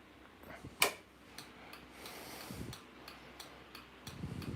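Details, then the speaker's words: Westinghouse searchlight railway signal's automotive flasher relay, wired to the electromagnet, clicking steadily about twice a second as it cycles on and off normally; flasher relay working properly. "works and here the relay going now that's clicking you have the automotive flows doing that"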